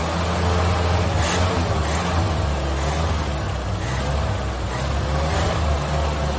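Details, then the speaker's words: 1983 Ford Ranger 4x4 unstarted about two years or more, carburetor primed with fresh gas: steady low drone holding a fast idle, no misses or knocking, running on its own. "put some fresh gas little B little gas and she fired right up now she's running"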